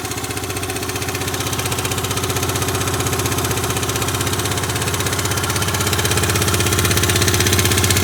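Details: Yamaha Grand Majesty SG15 scooter, 30,000 km, oil changed every 2,000 km, with a sudden abnormal noise: a regular sharp tick about four per second at steady idle. Owner hopes for an AIS pipe exhaust leak but suspects crank or head.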